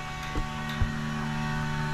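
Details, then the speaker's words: 1969 Camaro with an upgraded return-style fuel system, pressure set to about six psi: a steady, quiet electric hum of even pitch with no surging or grinding, normal fuel pump operation. "actually the pump's not that loud I'll come back here and check it out it's not too bad you won't even hear it was running perfect"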